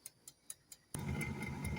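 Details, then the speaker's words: Old air fryer set to 180 with a 20-minute dial timer: crisp ticks about four per second from the timer with no fan or heater hum; the wrong plug had been put in by mistake, so it got no power. "Vocês acreditam que eu tinha errado a tomada? Eu coloquei a tomada do micro-ondas."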